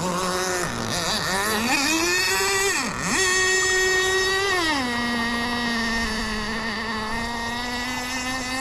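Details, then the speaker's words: Kyosho Jetstream 1000 nitro boat, GT32 marine engine after cleaning: high buzz dipping and surging with throttle, settling to slightly blubbery drone; running rich after earlier too-lean setting. "well oh well as Hy says she's running rich and"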